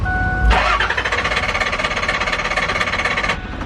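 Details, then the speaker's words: Diesel truck after an injector replacement, cranked with a little starting fluid. Slow rhythmic cranking, about three beats a second, with a brief surge as it tries to fire, but it never catches. Glow plug light stays on; owner suspects it's out of fuel. "I think we need to get some diesel and try again, because I feel like maybe she might be out of fuel."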